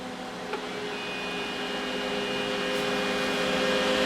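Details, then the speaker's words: Cooling fan for a Mr Lee's 2x12 Xforce amplifier with replaced heatsink, held against the cabinet's decorative vent-hole opening: steady whir with a rising drone as the restricted airflow chokes it; fan noise from airflow restriction. "But I wanted to show you what happens when we take and put one of these up against this opening."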